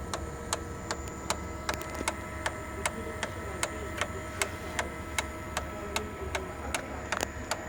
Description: Sharp MX6240 MX7040 ticking noise from fuser drive gears. Cluster including bearings and gears are bad and needs replacement.